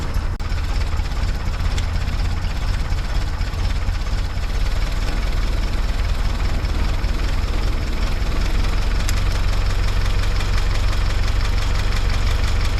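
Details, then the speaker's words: 1955 Willys CJ5 after gasket replacements and a new exhaust, with the throttle return spring now set correctly. It idles slow and heavy with a lumpy thump, barely turning over before the idle is raised. Idle speed too low. "I was having some issues with the throttle return spring and I think I've got that set correctly now, but now it's idling way too low because we've never had the spring set correctly before. So, let's just turn up the idle."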